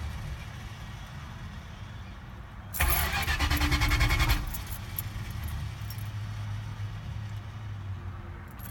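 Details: 1980 Chrysler Cordoba 318 converted from lean burn to electronic ignition, with a stall and no-start issue that often takes many tries to refire: about 1.5 seconds of rhythmic starter cranking that never catches. Crank, no start.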